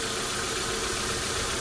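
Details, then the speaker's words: 1998 Toyota Corona Premio 7A-FE after DIY decarbonizing, running on flushing oil and old spark plugs: even, steady idle hum with no misses, ticks or knocks and no smoke; engine runs normally. "Двигатель работает ровно. Дыма нет. Работает нормально."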